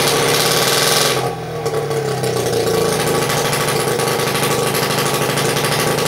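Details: 1941 Champion S1G 3 hp two-stroke outboard, first start after sitting many years, after cleaning and setting points and checking condenser: steady, busy, slightly uneven idle holding speed; running normally.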